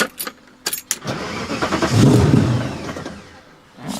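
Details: V8-swapped BMW E30 after a rally: V8 fires and runs about a second, then sags and dies on restart; a loose positive battery cable starving it causes the stall.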